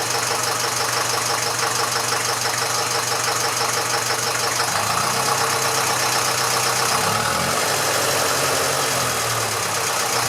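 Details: Massey Ferguson 35 (835) tractor with Standard 23C diesel, first run in at least a year after a starting-fluid start: even idle chug at about three beats a second with a hard-edged clatter on top. It runs fine, with some blow-by expected for its age.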